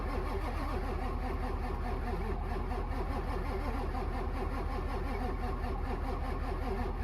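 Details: Winter retry on a diesel: a steady, even starter churn of about 2.5 compressions a second that never catches. Extended hard-start cranking.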